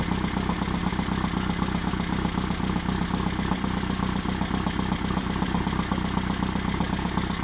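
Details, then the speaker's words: Engine on third start-up attempt for cam break-in: idle a bit low, no tachometer; steady even idle about four pulses a second, no knocks, misses or hunting; oil pressure held; leaky oil cooler; runs cleanly. "well seems to be running good oil pressure remained well"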